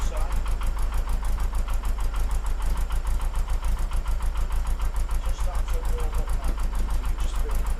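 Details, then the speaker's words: Porsche 914, 2056cc on dual Weber carbs: after both idle screws turned in a quarter turn, mixture having seemed lean, an even, steady idle with no stumbles or misses; over-tightened accelerator pedal likely the earlier cause. "Sounds a lot better. Now what I've done to get it started is not adjusted the bass tune as it would be touching the carburetors."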